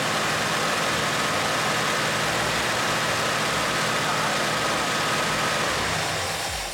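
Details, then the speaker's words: 1964 Mercury Montclair with Ford FE 390 V8, cam and intake kit, first running in 40 years, timing not yet set: fast, steady, even idle with no misses; runs smoothly but idle is too high. "Needs to idle down. But it seems like it's running pretty smooth."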